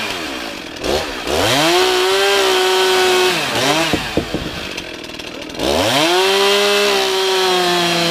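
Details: Stihl MS311 chainsaw after burning up, test run after half choke start: settles into a steady idle, then twice climbs cleanly to a high, even scream without stumbling; normal idle and revving.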